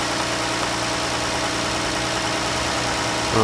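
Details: 2014 Jeep after replacing the misfiring #5 fuel injector, new spark plugs and intake plenum gaskets: steady, even idle hum with no stumble, tick or miss; engine running smoothly.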